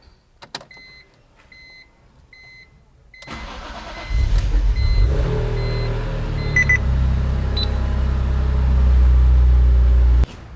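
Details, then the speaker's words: BMW E46 M3 S54, first start after rod bearing replacement on a used engine, with fresh 10W-60 oil and a new filter; oil pressure immediate. Chimes, crank, slight initial stumble, then a smooth even idle with no knocking: normal. "a couple things I was listening for number one does the engine sound normal the answer is yes not hearing any kind of awful noises everything is good the engine started like normal"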